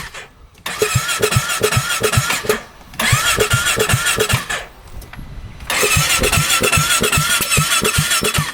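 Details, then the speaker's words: 2017 Polaris RZR 570 UTV, 5,032 miles, repo, in park: three bursts of cranking with steady chug and sharp exhaust pops, never fires; crank no start, dealership thinks low compression. "You can hear it popping out the exhaust. So, she cranks but won't [Music] fire. You can crank it all day."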